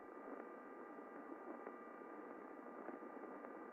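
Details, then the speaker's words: Drive chain heard through airborne ultrasound sensor near the cogs: faint, even hiss with smooth waveform, no knocks or rasp; well lubricated, healthy. "And we can see from the waveform, it's pretty smooth. No real evidence of under lubrication, no additional noise being generated, exactly what we would hope to see."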